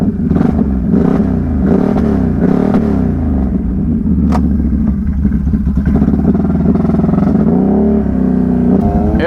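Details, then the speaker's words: 2021 Can-Am Renegade 1000 XMR V-twin in knee-deep mud with diff lock on. Ragged, stumbling beat with uneven surges, like a cylinder dropping out intermittently; suspected spark plug boot or cable fault despite a new boot. "yeah you hear that spark plug boot yeah I don't know it might be no that's definitely a spark plug"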